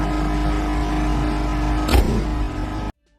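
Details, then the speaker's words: Microwave/range hood combination unit, hood fan running: loud steady droning hum with buzzy rattle as the top vent and loose panels vibrate; noise is from the range hood section, the microwave section is fine. "这一开机呀，就哇哇响。我们先检查一下上边这个出风口，出风口呢也在震动，所以这个震动不小。"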